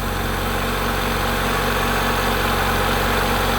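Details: 1990 Honda Accord 2.2 4-cylinder at idle, after repairing bad alternator harness connector that prevented charging: smooth idle holding steady while the harness is wiggled, no surging, charging about 14 V; normal idle.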